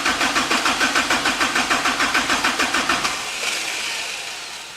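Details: Kubota diesel engine, cranking on starter with 20 psi oil pressure: steady cranking near three compressions a second, no firing, winding down; little fuel reaching, much air still in the fuel system, bleeding lines and refilling filter planned.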